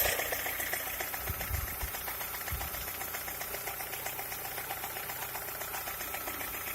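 Petrol engine idling with a light, fairly quick ticking knock riding over the run, around three to four per second; source unconfirmed.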